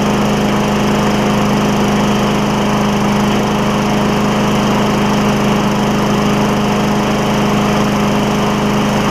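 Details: Craftsman mower with Tecumseh Vector single-cylinder engine after carburetor replacement, run without air filter; steady, even buzz with no misses, surging or stumbling: normal running.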